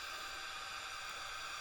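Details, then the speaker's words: Output with fader turned up on the analog/PC input: constant loud, broad pinkish white-noise hiss with a whiny Sony-like character, excessively loud output noise floor; owner suspects the output stage runs high and considers a modification. "It's that whiny sound. So I'll mute it. It's kind of like pinky white noise. It's going over a pretty broad area."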